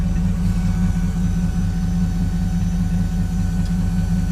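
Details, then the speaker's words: Dodge Durango first gen, 4.7 V8, 131,000 miles, idling evenly with a soft constant high hum of the fuel pump faintly audible; engine runs fine, normal idle. "can hear that fuel pump a little bit but it's running good"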